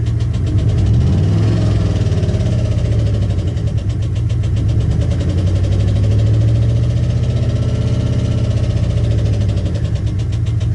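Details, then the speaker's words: 2015 Chevy Express 4.8L van, knock from right side under hood, heard with throttle blips: sharp rapid knocking keeps pace with engine and quickens with revs, not rod knock; bad lifter on the right side. "That don't sound like a rod knock. Sounds weird. Definitely sounds like a hard hit from under here."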